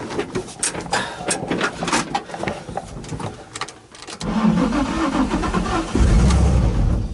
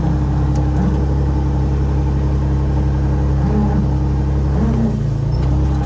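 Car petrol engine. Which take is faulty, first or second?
first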